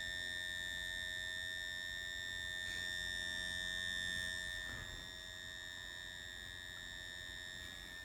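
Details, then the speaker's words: 2.5-inch hard drive from a PlayStation 3, dropped repeatedly, connected over eSATA to a laptop: constant high-pitched whine with an added ringing tone as it spins; damaged hard drive whine. "Right, so the hard drive sounds awful."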